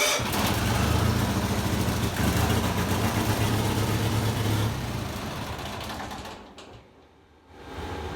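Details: 1974 Bolens HT20 garden tractor after coil replacement and a new fuel primer, first start in the workshop: single-cylinder engine fires and settles into an even, steady chug with no misses, then fades as the tractor drives away.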